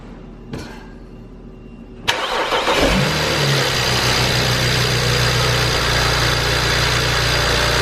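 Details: 2008 BMW 335i, first start right after fitting cheap Chinese ignition coils: two seconds of quiet, then a brief crank, and the engine catches and settles into a steady, even idle.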